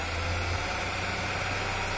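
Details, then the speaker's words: 1997 Ford Ranger with hard start and rough idle, fuel gauge reading about 30–32 psi, holding idle on its own: fairly steady low idle with faint uneven hum over constant hiss; stumbles badly on throttle; fuel pressure problem, drivability improves when warm. "But yeah, I believe this truck has a fuel pressure problem. Maybe after it warms up or whatever, the pump starts operating a little better, which explains why I found the drivability improved when it warmed up."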